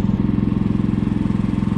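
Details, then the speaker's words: Predator 3500 generator after valve lash readjustment, straightened pushrods and a main jet swap from 76 to 75, running under heater load at about 4,500–5,000 ft elevation; steady, even pulses with no hunting or misses, holding power smoothly. "i did end up straightening out the the push rods for the valves and i adjusted them again but if you hear the generator it's running pretty good"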